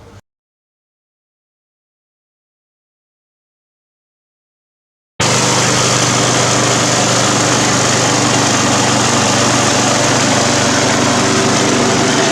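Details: Briggs & Stratton 350 Classic mower after swapping in another engine's fuel tank and carburetor, replacing the cracked tank: starts straight away and holds a steady, even high-pitched run with no surging or hunting; healthy.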